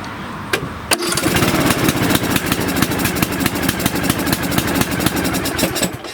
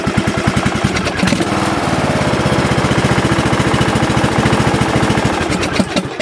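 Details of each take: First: Lawn tractor engine reassembled with a new camshaft, sump gasket and crank seal, first start on choke: cranks, catches, then runs in a lumpy, uneven putter, rich with a sticking choke; once the choke releases it starts right away. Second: Lawn tractor single-cylinder engine after camshaft, sump gasket and crank seal replacement, sticky choke freed: cranks briefly, catches right away, steady beat about three and a half pulses a second; normal start and run.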